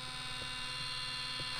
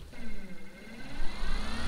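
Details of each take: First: Minn Kota trolling motor with bad vibration above speed 5, being aligned: steady high-pitched electric whine with a rough, gritty edge, grinding in this position; cause unknown. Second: Minn Kota trolling motor at speed 10 (full max) after prop replacement, skeg rotation and tuning: smooth electric whine climbing in pitch with only a faint rattle left, versus the boat-rocking vibration above speed 5 before repair; normal run.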